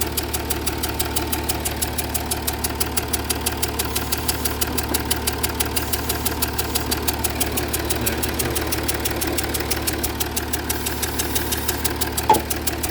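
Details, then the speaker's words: Jaguar XF S 3.0 diesel, smoke under bonnet and in cabin: steady idle with a sharp tick about three per second, changing with revs, from compression fumes puffing past one injector's seal. "Right, so it's definitely leaking from around that injector."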